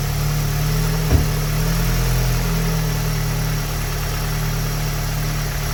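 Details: Tuned EA888 (Vortex XL turbo, MPI kit, 1300cc injectors, E85 tune, 530 WHP) starting after an EQT high-pressure fuel pump cap/line kit install: catches with a brief stumble, then settles into a steady, smooth low idle; a small fuel leak is found afterwards.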